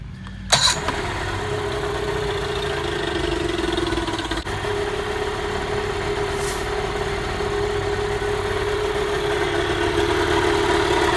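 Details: 1986 Mercury 35 hp outboard, just after a new water pump was installed: catches almost instantly and settles into a steady, even idle hum with no knocks, misses or hunting. Normal start and idle.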